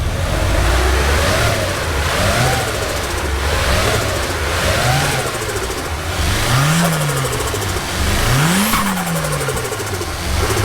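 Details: Infiniti G35 with VQ35DE, sitting a long time, just fired up: steady idle picking up cleanly with each rev, no knocks or misses; sounds healthy though car needs some work.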